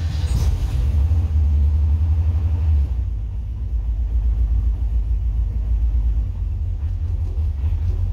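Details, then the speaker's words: 1963 Falcon, turbo 2.3L with aftermarket throttle body, IAC motor and TPS: steady deep rumble, no hunting, at about 1500 rpm on a cold engine. The ECU adds 400 rpm over the 1050 target when cold, so the idle runs high. "definitely a lot lower about 1500 rpm which i think i have a set at a 1050 and it's an idle and uh where you program it it'll run 400 rpm over uh what you want when it's cold"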